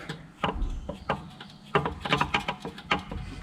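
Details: Removed differential from a K-series MG Midget suspected of causing a whine, turned slowly by hand: irregular dull clunks, a few per second with uneven gaps, suggesting play; knock suspected, not confirmed as the noise cause.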